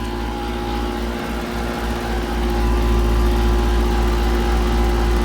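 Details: 2015 Carrier Comfort 4-ton heat pump after being damaged in a fire; loud, heavy droning hum with steady tones over a deep rumble, still cooling but sounds terrible, cause unknown.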